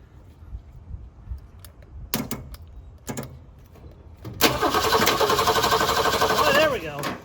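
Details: 1966 Ford Mustang, 200 straight six, that stalled in the driveway; battery replaced. The starter churns evenly at about four turns a second for two seconds and the engine never catches. Spark and fuel are checked next; cause not confirmed.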